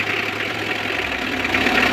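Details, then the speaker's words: Mitsubishi L300 4D56 diesel after cylinder head replacement, started on a weak battery with the radiator shroud removed because the fan was hitting it: even steady idle, no scraping or ticking from the fan area; noise gone, running quiet. "Wala nang ingay. Oh. Tahimik. Yari na."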